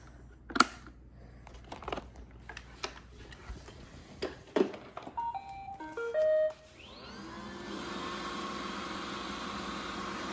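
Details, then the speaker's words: Roomba 960 after repair of a days-long loud squeak: handling clicks, short startup chime, then smooth steady hum; culprit was a hardened dust-hair glob stuck between the brush assembly and spindle, now normal running. "Nice! So that was the culprit right there. This hardened dust hair glob that got stuck between the brush assembly and I guess the little spindle that turns it."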